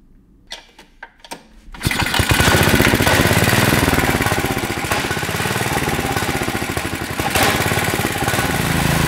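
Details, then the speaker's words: Tecumseh 6.5 hp go-kart engine, air filter freed up: a few cranking pulls, then catches and holds a fast steady buzzing high speed without dropping back; engine not returning to idle, idle circuit suspected. "yeah so we got a problem with the idle circuit or something"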